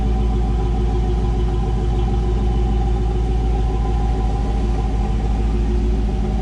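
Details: 1984 Camaro Z28 L69 HO V8, just after fitting a new exhaust with straight muffler, angle-cut tailpipes and ball flange: deep, steady rumble with an even, unbroken beat, no leaks, rattles or ticks; normal V8 exhaust note.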